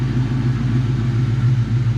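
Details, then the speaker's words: After installing an intake manifold, plenum, throttle body, air intake and coil packs and servicing the injectors (pintle caps, o-rings): rough at first, then clears to a low, even, smooth idle with no misses; an earlier air leak was suspected. "it sounds like it's more even Keel like flat and the idle sounds like nice and"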